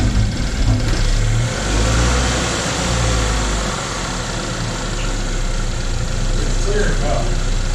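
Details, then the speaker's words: 2012 Chevy Equinox after repairing jumped timing, no bent valves, warming up with an uneven, stumbling idle; owner suspects misfire from oil and carb choke cleaner poured into the cylinders, no trouble codes. "I suppose it's misfiring from all that oil in there."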